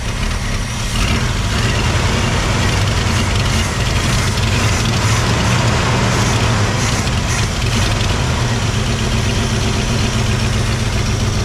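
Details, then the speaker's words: 1987 Ford F150 V8 after EFI-to-carburetor and HEI conversion, untuned, timing possibly over-advanced: uneven lumpy idle with loud rumble and occasional stumble; owner wants a bigger vacuum hose, says it runs better than with EFI. "got to get a bigger vacuum hose ain't running great but I ain't really tuned on own her"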